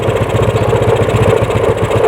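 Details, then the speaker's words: Yamaha Mio scooter, serviced, the no-start fault traced to a dead ignition coil: the carburetor now runs well, with a quick, even, clean idle and no misses. "Ya teman-teman, karbunya sudah enak hidupnya ya."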